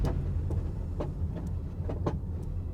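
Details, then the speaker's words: 2016 Audi RS7, wrecked, bought from IAAI auction: sharp, irregular clunks and ticks every half second over low road rumble while driving; something loose underneath; owner fears a bad differential and also suspects diff knock, exhaust rattle or suspension. "Drive is always the scariest some sort of noise back over there I'm not even sure what I'm afraid that my differential is bad what world so many noises"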